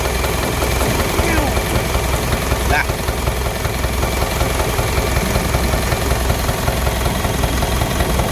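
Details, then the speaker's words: Engine blow-by with oil appearing to boil; rough idle with loose, uneven puffing beat about 105 per minute; teardown found cylinder three liner scored and piston ring stuck, liner to be honed. "So ayan sa cylinder number three gasgas yyung liner kung malamang sa alamang yan. Stock up iyung piston ring."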